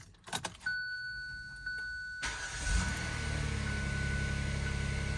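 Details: 2016 Kia Sorento 3.3L V6 started right after replacing all six spark plugs; a quick crank, catches cleanly and settles into a smooth, steady low idle with no misfire or stumble; normal start and idle.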